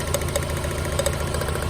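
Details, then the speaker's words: Mazda Miata at idle, running on three cylinders: lumpy low idle with sharp ticks; cylinder 3 shows no drop when its plug is pulled though coil and plug still spark — dead cylinder from a bad injector delivering no fuel. "So Shay, just after that brake job, I said, man, this thing is running like garbage. And it is, it's a misfire."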